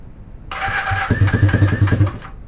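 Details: Honda CB250N Superdream twin project bike, new spark plugs, partial choke, after long cranking: starter whirs, then uneven low chugging catch for about a second; finally starts, owner notes a large oil leak at front.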